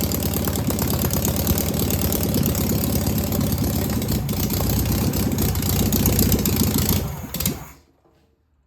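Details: Single-port engine restarted after confirming the valves are oiling: even, steady putter at about four beats a second for several seconds until it runs out of gas. It sounds healthy, judged a winner.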